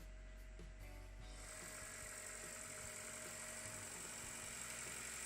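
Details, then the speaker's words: Chevrolet Spark M300 / Ravon R2 B12D2 engine at first start right after installing tuned camshafts and adjusting valves, before warm-up and before flashing the R2 Drive firmware: smooth, even idle with steady hum, no knocks or ticks; normal idle. "мотор работает ровно. Посторонних шумов нету."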